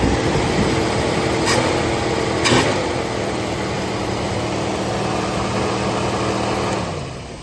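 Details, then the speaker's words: 1980 Mercury Zephyr, first cold start after fresh carburetor rebuild: steady fairly high-pitched fast idle easing down at the end; idle-up working but set high, may need adjusting. "Idle that sucker down. the high idle on that sucker. Might had to adjust that a little bit."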